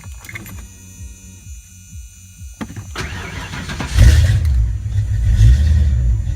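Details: Ford Mustang 5.0 mass air V8 running a rebuilt A9L computer under test, after fuel pump prime: quiet clicks, engine catches around three seconds and settles into steady, even high idle before closed loop; healthy start.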